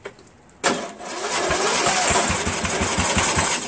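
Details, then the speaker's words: Cub Cadet MTD lawn tractor with new battery, strong spark confirmed, carb cleaner sprayed in: sharp start, then a few seconds of ragged, uneven pops fading out. Owner suspects the gas or a carburetor problem. "all right well we we got a little bit you guys thought it turned over a little bit right so I think that has something to do with the ask gas or something else in the carburetor or something like that"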